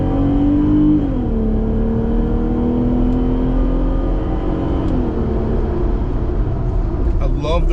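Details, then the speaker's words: Jeep Gladiator JT 3.6L V6 with new AWE Trail Edition exhaust, driving uphill and toward a light: engine drone drops with each automatic gear change, with a gurgling burble on upshifts; a healthy exhaust note. "it sounds when it shifts it's got that verbal sound i don't know what else you call it but um you get that on some of the newer sports cars but it just makes that gurgling sound as it shifts up and it just sounds fantastic"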